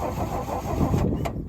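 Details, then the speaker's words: 1966 Chevrolet C10, last licensed 1979: the key won't crank it and the dash is dead, so the starter is jumped with a screwdriver. It cranks evenly but never fires, and the tester shows no lights. No spark, found to be dirty distributor points. "I'm not getting any lights on my little tester here, but it may be because the key switch isn't hooking up to the ignition here."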